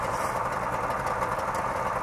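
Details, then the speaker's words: 1964 DKW Deluxe Junior F12 two-stroke with belt-driven oil injection, smokes slightly: steady even buzzy idle with smooth pulse, no knocks or rattles; healthy running. "Has that little uh you know just sounds like a little little two-stroke engine."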